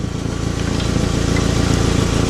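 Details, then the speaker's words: 2009 Nissan Altima idling: fast, sharp puffing ticks in step with the firing pulses, changing as a pry bar shifts the joint; exhaust leak from a manifold cracked where it meets the cat, to be replaced. "This manifold is broken. Where the cat and the manifold meets is probably ripped at one point."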